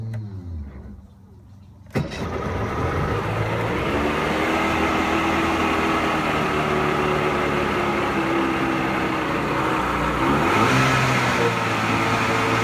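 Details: Pelin Nomad boat's outboard, not quite cold after running half an hour earlier, control pushed in and lever forward for fast idle; catches instantly after a short crank and settles into a smooth, even fast idle, normal healthy start.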